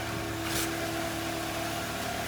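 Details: Mitsubishi Lancer X 1.6, 211,000 km, CVT, heard from outside after new pistons and coupling fixed knocking: smooth, even idle with a steady low hum and no tapping or rattle.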